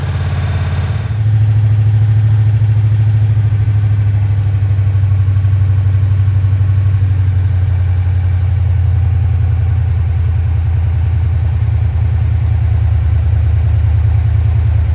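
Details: Rock Auto rebuilt 1990 Mopar 318 small-block V8 from a D150 truck (honed, new parts, Comp special-grind cam, Air Gap Magnum intake), first start-up: after a quick catch, a deep steady idle with timing at 15° initial, 33° total; no knocks or misses, healthy.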